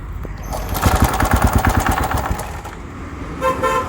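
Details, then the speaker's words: TVS XL 100 BS6 moped, fully charged battery, kick also fails: about two seconds of pulsing self-starter cranking, then stops without catching; cranks but won't start, fuel pump suspected. "ఏదైతే మనకి starting moment వస్తుందో ఆ moment వస్తుంది but start అయితే అవ్వలేదు"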